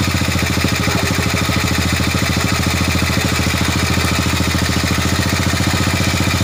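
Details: Old Honda Supra motorbike being checked for a suspected valve leak causing lost compression (valve gap tested fine), just after refilling oil: even, quick firing beat around three pulses a second, steady with no misses or knocks; normal idle.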